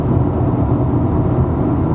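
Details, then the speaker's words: Ford Falcon XR6 after wheel bearing hub replacement, driving at 60, 80 and 100 km/h; steady road roar and tyre hum partly from noisy tyres and stainless exhaust, no whir or growl, bearing noise gone. "is a smooth and you gonna remember this thing has directly ties on so they are a little bit noisy but that wheel bearing noise it's all gone"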